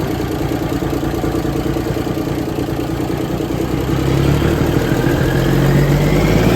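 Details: 1978 International Transtar II cabover diesel, first start after sitting 3 years during restoration: steady, even idle climbing smoothly in pitch when revved, no knocks or misses; healthy engine.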